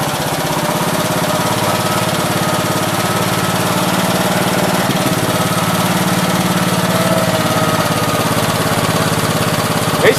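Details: 1969 Gravely 432 with a rebuilt K321 14 hp single-cylinder engine and a new piston, running for about half an hour. Steady thump at a fast, even idle with no knock or tapping; healthy normal running. The owner suspects a weak fuel pump is causing poor fuel flow.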